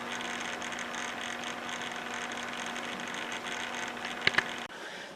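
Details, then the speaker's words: Dell Latitude C600 laptop, first startup in 2020 after long storage, while running a racing game: steady whirring cooling fan with mid-pitched hum and rough airy hiss; fan sounds worn and noisy. "Listen to that yucky sounding fan."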